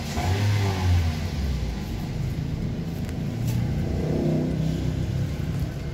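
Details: 2009 Toyota Yaris petrol engine revs up and settles smoothly with no knocking or rattling after an engine oil service, done because the oil warning light flickered and the engine ran rough; normal engine rev.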